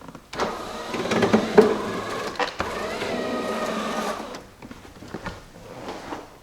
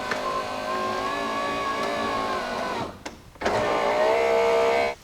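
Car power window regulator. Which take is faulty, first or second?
first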